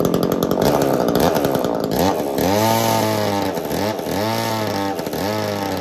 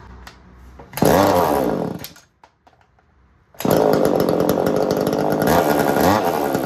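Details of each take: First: Echo CS-3000 two-stroke chainsaw driving an 80s Versa Tools drill attachment, after loosening over-tight chain tension, clutch earlier overheated: revs climb, dip under the bit, recover in roughly one-second cycles, pulling cleanly through wood; normal drilling under load. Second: Echo CS-3000 chainsaw, long-neglected estate-sale saw, driving an 80s Versa Tools drill attachment: revs high and ragged, bogging and surging under load, dropping out then screaming back; clutch likely slipping and overheating, owner suspects smoked clutch.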